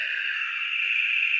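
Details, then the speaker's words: BITX40 transceiver rebuild, first power-up with the oscillators confirmed running at 18.2: a sudden loud, steady, high-pitched hiss from the speaker with no voice audio. A bad connection is suspected, not confirmed. "that about scared me out of my chair maybe"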